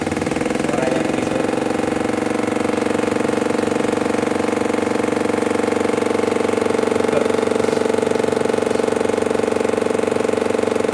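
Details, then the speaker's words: Washing machine making a fast, even rattle about three beats a second over a steady hum, sounding like an RX King two-stroke motorcycle; abnormal loud rattling during operation, cause unknown. "Mosok suarane berkata gerata. Masa suaranya malah kayak motor King."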